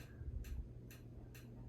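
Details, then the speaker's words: Condo fan on high speed: sharp regular clicks about twice a second over low hum, stopping immediately on medium; clicking returned, which owner takes to mean the mount; fan shaft rubbing cover. "Hear that clicking? So it only does it on high. If I change it to medium, immediately stopped. So I'm not sure if that's in the fan or in the mount."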